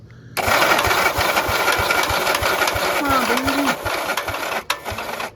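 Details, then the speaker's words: 1961 Gravely LI single-cylinder tractor, sat about a year, magneto refitted, on a starter cart with choke on, half throttle, in neutral: the starter drags slowly, about three labored compression beats a second, never catching; the battery is dead. "battery's dead. We need a different battery."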